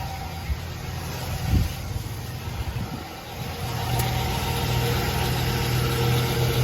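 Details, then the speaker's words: 1999–2007 Chevy Silverado no crank no start, started by bridging the starter with a metal rod: after a couple of knocks and a short rise, engine settles into a steady, even low idle with no miss. "there we go it's all started thanks to this thing always keep a little M rod in your car"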